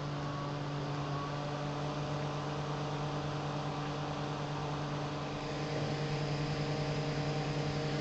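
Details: Apple G5 CPU fan converted to a Zalman motor, about 3,000 RPM at 12 V, compared with the original mechanism; even constant hum, clear low tone, no wobble or rattle; normal fan noise, much quieter than the original.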